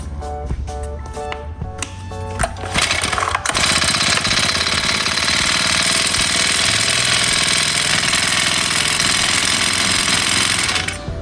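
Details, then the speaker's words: Honda GX35 brush cutter engine just after starting, revving hard with a fast ta-ta-ta knocking from incorrect valve clearance; valve cover removed and valves adjusted. "After I just started it Everyone wonder if you heard a knocking sound that they heard a knocking sound Ta-ta-ta-ta sounds like this Basically for this one the gap in the valve should run away"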